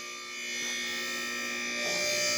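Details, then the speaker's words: Newly replaced lift motor running: steady, even electric hum with smooth high whine, no grinding or rattle; much quieter than before, sounds good. "That's awesome. That thing sounds good. Oh, about to click. Oh, that sounds beautiful."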